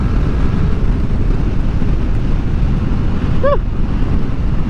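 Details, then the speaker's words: Yamaha Aerox CVT riding after fitting a Honda torque drive bearing and new center spring: steady, even drive note under wind and road rush, former grinding and vibration gone; CVT sounds healthy. "Saka okay na, tahimik na yung ating motor, no. Wala nang maingay na nag-grind."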